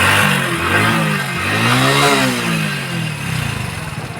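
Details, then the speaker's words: Hero Splendor BS6 motorcycle running and revving: light, rapid ticking clatter that follows engine speed; loud valve tappet noise, valve clearance to be adjusted without opening the engine. "जैसे कि आपने देखा दोस्तों इसके engine में बहुत ही बड़ा sound आ रहा है तो दोस्तों यह जो आवाज है यह हमारे वाल का आवाज है"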